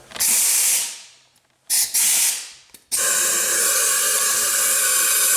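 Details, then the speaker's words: Failed 6.0 engine on a leak-down test: a strong, steady hiss with a few short bursts as air blows past the pistons and rings rather than out of any cylinder. "But anyways, all that noise you're hearing is just blowing past the piston, past the rings, past whatever."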